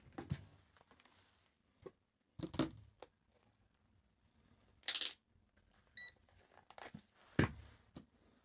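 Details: Corroded Atari Portfolio palmtop: amid probe scraping, one short clear high beep from the multimeter testing continuity near the corroded area; connection good.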